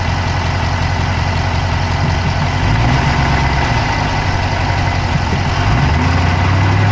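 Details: Dodge Charger Hemi V8 at idle, recorded inside the passenger-side engine bay: a steady idle with a quick, light ticking of close to three per second; a fast tick whose source is suspected but not confirmed.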